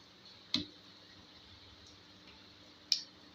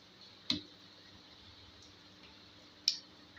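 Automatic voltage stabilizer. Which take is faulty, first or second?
second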